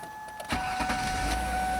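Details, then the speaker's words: 2000-2007 Ford Taurus/Mercury Sable right after fuel filter replacement (old filter used for 85,000 miles), with the ignition primed four or five times: a short crank catches at once and settles into a steady, even run, a clean healthy start. "There it goes. I primed it and it started right up. So it seems like it's running pretty good."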